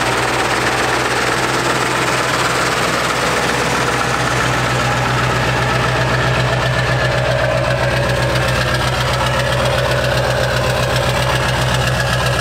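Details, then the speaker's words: Ford 7.3 Powerstroke diesel truck, running again after an accident: heavy idle with sharp puffing tick about four times a second over the clatter; exhaust cracked partly off the turbo V-band mount, causing a small exhaust leak. "I think it kind of cracked off the turbo a little bit, like the exhaust was supposed to mount up on that V-band. So it's got a small exhaust leak, so it sounds kind of funky."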